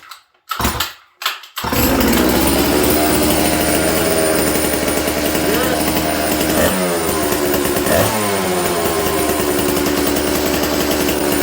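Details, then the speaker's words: Dolmar 153 chainsaw with faulty Bosch ignition, low jet 1¾ turns out, idle screw not touching: fires after a couple of pulls into high buzzing idle that surges and hangs; air leak, location known. "So when you listen to this thing, this is what an air leak sounds like. I know where it's leaking."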